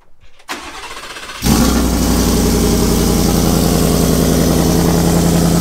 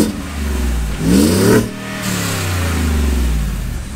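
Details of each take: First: Ford Shelby F150 V8 with newly installed long-tube headers: after crank and start, a loud idle with a sharp, rapid puffing tick at every pulse. It is an exhaust leak at the header flange because the supplied gasket suits the stock exhaust port; the fix is a gasket or welded V-band. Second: 2020 Shelby F150 after long-tube header install and exhaust leak fix with V-band: single quick rev rises and falls cleanly with deep, subdued exhaust, no ticking or puffing; much quieter, exhaust sounds sealed.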